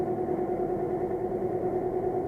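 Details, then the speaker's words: Three-year-old pool-room dehumidifier with a noisy condenser fan motor: constant gritty hum that persists after every nut and bolt was tightened, so nothing loose; bearings in the motor suspected to be going. "but underneath it here and it sounds like the bearings are just going in the motor"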